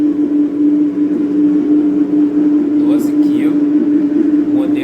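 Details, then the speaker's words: Electrolux LT 12B washing machine on the spin cycle: loud, steady mid-pitched drone. The owner suspects the bearing, but the cause is not yet confirmed. "Fala galera, para vocês que devem estar com o mesmo problema da minha máquina, olha o barulho que está fazendo no rolamento."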